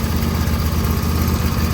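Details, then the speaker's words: Auction riding mower with a 24 hp engine and 116 hours, which sat outside. With only a new battery and its existing fuel, it gives a low, even thumping idle with a steady rhythm and no stumbles or knocks, so the idle is normal. "the only thing I did to this mower was put a battery in it already had fuel in it it fired right up and it runs pretty well"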